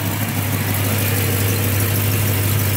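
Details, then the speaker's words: 1969 Dodge Coronet R/T convertible, 440 V8 375 hp, idling about 15 minutes to warm up: deep, steady idle with an even low rumble and no knocks, ticks or misses; healthy. "we're going to let it keep idling and warming up so we can take a look and see if anything's you know coming out of"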